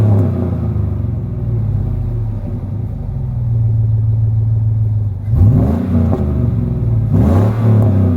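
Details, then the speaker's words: Pickup truck V8 at idle after swapping Edelbrock muffler for a 2.5-inch Magnaflow on 3-inch pipe: smooth, even low rumble with light blips, quiet and stock-sounding, no rasp or drone; normal exhaust note. "yes oh you can tell it's mighty quiet don't sound much different than stocks hook"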